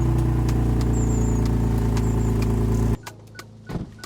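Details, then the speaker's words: BMW E46 first startup after clutch job with exhaust, prop shaft and starter removed and refitted: rough idle with a sharp regular ticking puff about four a second, exhaust blowing; exhaust leak. "I guess we're going to go on our first drive tomorrow but it sounds quite nice with that exhaust blow that sounds good"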